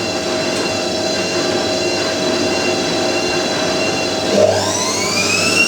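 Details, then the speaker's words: Hotpoint 9530 washing machine with newly fitted carbon brushes and solenoid valve, final 1000 rpm spin: steady motor whine with slight screech climbing in pitch as the drum winds up; normal spin with fresh brushes still bedding in, motor sounding powerful. "the new uh brushes make the motor sound like really powerful they"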